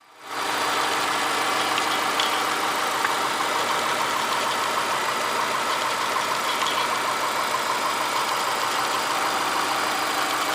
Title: 2006 2 5i JDM Name weird noise